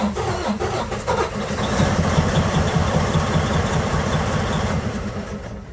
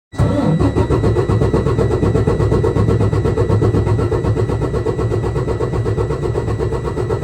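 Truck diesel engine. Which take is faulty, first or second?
first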